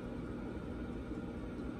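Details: Vevor 5kW diesel parking heater run from two 18V 4Ah Ryobi batteries through a converter, outdoors at about −8°C, outlet near 124°C: even low fan roar with steady combustion hum, no surging, popping or misfiring; running normally.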